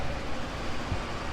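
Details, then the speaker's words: Yamaha XMax300 single-cylinder scooter at idle after replacing cylinder, piston and rings and resetting systems; solid, even low thrum with no slap or rattle, sounding tight again; normal idle. "มีการรีเซ็ททุกอย่างเรียบร้อยแล้วคะเดี๋ยวมาดูฟังเสียงกันม.คมีเสียงแน่นเหมือนเดิมแล้วนะครับ"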